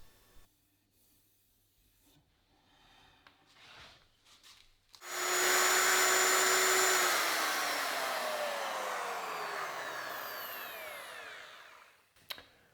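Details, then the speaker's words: AEG MF 1400 KE router (same as Ridgid R2930), after replacing both bearings (main bearing was worn): spins up to a clean steady high whine and winds down smoothly, no rumble or rattle; back in action and working as before. "and now the router is finally back in action and it works as well as it used to"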